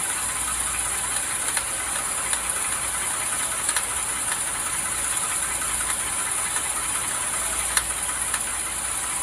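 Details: 2011 Toyota Sienna lifted, in drive, front wheel spinning slowly while steered: sharp irregular ticking over steady hiss, also ticks under gas; first suspected drive shaft or axle.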